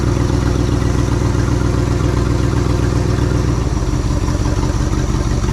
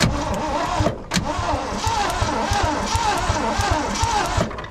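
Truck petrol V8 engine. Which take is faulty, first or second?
second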